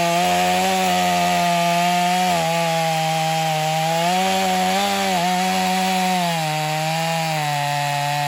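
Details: Stihl MS250 chainsaw test cutting wood after carb retune, tuned pretty rich for break-in; possibly slightly low compression but still pulls with power; strong steady high buzz, dipping slightly under load.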